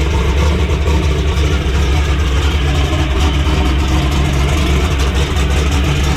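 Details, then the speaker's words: Turbo methanol drag Camaro, still cold in snowy weather: the engine sits on a 4,500 rpm rev limiter before reaching target boost. Timing is being pulled, causing loud, hard crackling pops out the exhaust. "you can hear that thing popping really hard when we're pulling that timing out and um that's because it was still down in the booth so what is happening is it hit you know 4 500 rpm on the rev limiter"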